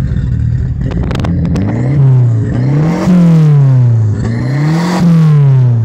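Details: Engine revs rise and fall unevenly in slow waves with some clatter underneath, running rough and hunting; owner suspects it needs a fuel pump, not confirmed.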